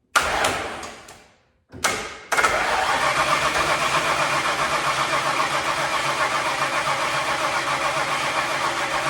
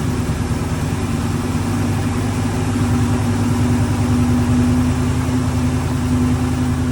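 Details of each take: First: Ford Bronco sitting over 11 years, fuel in carburetor, key on, pumping gas: starter churns steadily about three and a half beats a second without catching; cranks but won't start, owner suspects out of gas. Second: Ford Bronco running after 11+ years sitting, two hours of work, on very old gas: steady even low rumble, smooth beat, no knocks or misses; normal idle.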